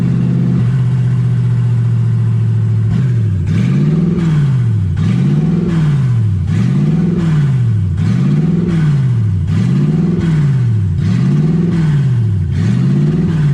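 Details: Toyota 1UZ V8 in a Ford Falcon, warm (about 160° on the gauge): idle holds steady, then surges up and down about every second and a half; idle hunting.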